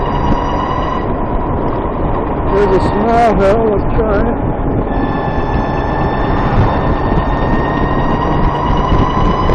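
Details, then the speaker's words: VX1 warmed up, climbing a hill at lower speed under load: short burst of rising and falling chirps over engine and road noise. Suspected transmission chirp, louder once the transmission is warm, starting around 30 mph. Cause unconfirmed. "Yep, that brought it out. That was another hill, and it was nice and loud, if you can call that nice. It seems like once the transmission is warmed up, it's louder."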